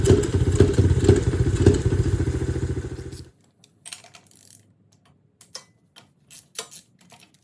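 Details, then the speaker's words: 2001 Honda XR70R dirt bike on a cheap Amazon carburetor, idle adjusted and fuel new: small single thumps at a slightly lumpy, loping idle for about three seconds before cutting out; running rich. "adjustment. Running a little rich there."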